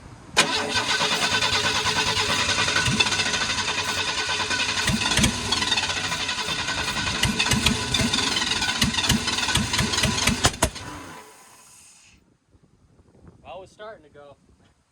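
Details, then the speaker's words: 1991 Ford F150 under restoration, start on starting fluid after resetting timing with timing light: cranks into rough, uneven run with sharp intake pops, then dies; backfires, owner to recheck firing order. "It definitely backfired, but I think that worked better than last time, other than the whole backfire thing."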